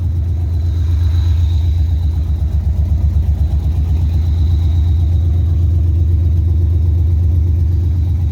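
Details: 2000 Firebird LS swap V8 just after new manifold and exhaust fitted: deep loud idle with steady lumpy throb, about four beats a second, no ticks or knocks; normal.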